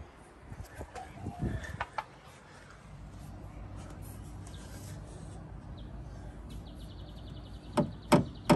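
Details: Porsche Cayenne 958 rear-end knock: three sharp, hollow knocks as the plastic fuel filler pipe is struck and slaps the metal guard plate; fixed by insulating it with rubber drain tube.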